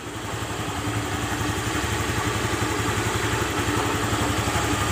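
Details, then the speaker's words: Honda Beat FI scooter after repair for a rough knocking engine caused by a worn connecting rod and scored piston, rebuilt with a new 0.50 oversize piston: steady, even low putter at idle with the knocking gone. "nah bunyi Klotok kletok atau kletek kleteknya udah hilang ya tuh Coba dengerin dari sini nah udah hilang ya bunyi yang kasarnya"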